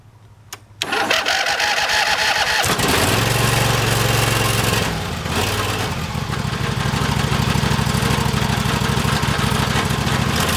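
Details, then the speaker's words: John Deere 325 lawn tractor (non-original replacement engine), first start after fixing a no-start at the starter solenoid; not run in a long while. Starter cranks briefly, engine catches and settles into a steady, even idle with no misses; normal running. "well that went really well I'm glad that was the problem and it was a fairly inexpensive fix"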